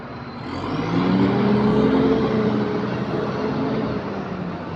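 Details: YX61-registered Enviro 400 diesel double-decker bus pulling with a raspy, puffing chuff about four times a second from a newly developed exhaust leak.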